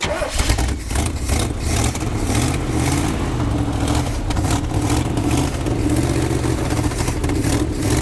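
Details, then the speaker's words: 1976 Chevy C30 dually ex-roofing truck with PTO, sat 27 years under an oak tree, being restarted about three years later. Big V8 catches, revs cleanly and settles to an even idle with no knocks or misses: normal running. "Sounds good, doesn't it? Oh yeah."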